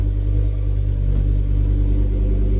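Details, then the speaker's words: Ford Focus ST five-cylinder that had been misfiring, low on fuel: a deep, smooth note that stays even through light rev blips with no stumble or missed beats. The misfire appears to have cleared on its own. "I think she's fixed herself. She's going to run out of fuel in a minute. But yes. Oh my god, she's fixed herself."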